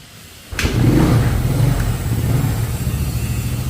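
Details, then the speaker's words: Yamaha Mio scooter after repair of lost compression, caused by a leaking defective exhaust valve and a piston installed backwards; catches on first crank and settles to a steady, even idle, no knocking or misfire; carburetor set, runs well. "Được rồi, tuyệt vời. Ali khe hở bắt đầu. Không tải cũng tốt, bộ chế hòa khí đã được thiết lập."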